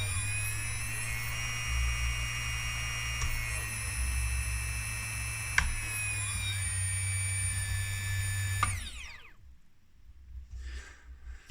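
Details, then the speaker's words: OMPHobby M2 RC helicopter after aligning motor and main shaft bearing block: steady high whine holding even at high head speed with no wobble, then spooling down; smooth at high speed, slightly ropey at low head speed. "And it does sound a tiny bit ropey, but certainly much happier at the high head speed."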